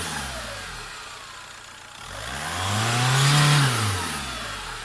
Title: Свист турбины